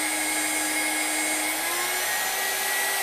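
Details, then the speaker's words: New spindle with VFD on upgraded 6040 CNC at 24,000 rpm maximum; clean high whine stepping up then holding steady, much quieter than the old one: normal running at max speed. "there's 24,000 perfectly quiet I mean it's making noise but that's a lot better than the other one"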